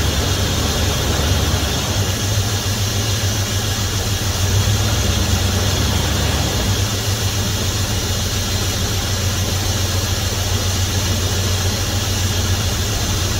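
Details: 1971 Dodge Coronet police car, 4-barrel 383 big-block V8, after sitting since the early 1990s, new plugs, wires and oil, wheels chocked: smooth, even idle, deep rumble, no knocks or ticks; 60+ psi oil pressure, owner calls it a healthy motor. Normal idle.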